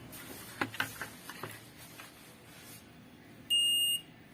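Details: Digital multimeter after fixing a continuous-beep fault by replacing a bad resistor (about 1k): a few handling clicks, then a clean, steady high beep of about half a second when the probes touch. Continuity tester works properly.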